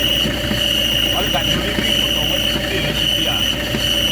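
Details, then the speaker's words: Car engine bay at idle: rough, gritty rumble with an intermittent high whine, first suspected as the alternator one-way pulley but changing with the clutch pedal; failed clutch release bearing found fused and melted onto the clutch plate. "Problem kali ini yaitu kendaraan HS bunyi kasar di area mesin. Kita menduga bunyi kasarnya dari oneway alternator. Tetapi ternyata ketika pedal kopling dimainkan, kontinuitas apapupun ee dari suaranya itu berubah-ubah ya."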